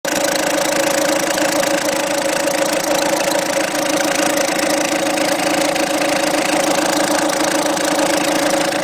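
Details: Peugeot 207 1.6 HDi 110 diesel at idle: persistent hard, rattly tapping over clatter and uneven beat; owner hears two noises, second bearing-like one clearer when accelerating; abnormal idle noise, cause unclear.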